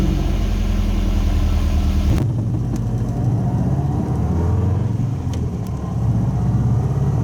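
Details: Subaru wagon with a newly welded-in Lukey Turbo muffler replacing a straight-through X-Force: deep, even exhaust rumble rising with revs then settling to a steady idle, no rattles or blowing leaks.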